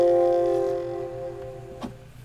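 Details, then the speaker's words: Dell XPS laptop (2021 XPS 13/15/17) speakers playing the Windows asterisk sound: short chime decays, then a brief crackly pop at the end; distortion persists despite up-to-date drivers, BIOS and Windows; speaker distortion crackle. "crackling noises usually appear during specific sounds and those sounds are mostly related to windows operation sounds for example when i play the windows asterisk you can hear that distortion at the end of the audio"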